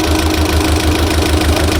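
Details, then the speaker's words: Mitsubishi Galant 4G63 on fresh start after revival: rough uneven idle with steady light ticking over a stumbling beat; noisy valve lifters, to be primed, plus a misfire (palyado). "So, syempre, no, para at least mapandar na natin at mawala yung ingay ng ating mga valve lifters, guys."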